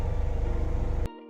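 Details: Toyota Granvia 1KZ-TE diesel idling steadily with even low pulses and no miss or knock for about a second before shutdown, after a no-start was fixed via wiring and a replaced computer-box part; no check engine light.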